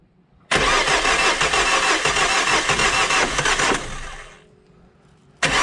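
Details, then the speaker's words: Diesel being tested after difficult glow plug removal, glow relay checked good with test lamp: starter cranks about three beats a second with uneven rhythm for three seconds, no firing; cranks but won't start, cause unconfirmed. "Bon, mais c'est bizarre qu'il tourne comme ça, là, bizarrement."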